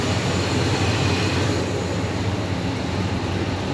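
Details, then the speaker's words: 1968 Chevelle, freshened 383 stroker V8: settles into a smooth, even low-rumble idle with no knocks, ticks or misses. Engine sounds good. "The engine sounds good."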